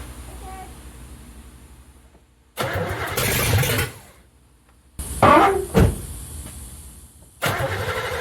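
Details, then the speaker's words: Third-gen street car with carburetor, after EGR block-off plate and third set of plug wires, refuelled, battery dying: cranking bursts with a few ragged catches that die out; won't stay running; carb has no fuel pressure, timing uncertain. "It makes noise. We don't really know if the timing's right. We know that the carburetor doesn't have fuel pressure at all, so we know the fueling's not quite right."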